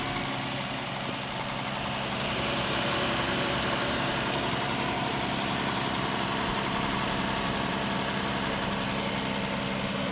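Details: Failing 223,000-mile engine near seizure, with oil-coolant buildup inside, on a rough idle with a steady knock three to four times a second; suspected rod knock, possibly a lifter, cause unconfirmed.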